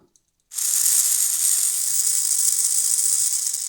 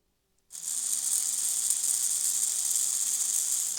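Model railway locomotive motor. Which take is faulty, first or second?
first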